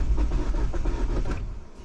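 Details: 2009 Mini Cooper S (R56) with N14 turbo engine, unknown history, bought cheap: low rhythmic cranking chug for about a second and a half, then dies without catching; crank no-start, cause not confirmed.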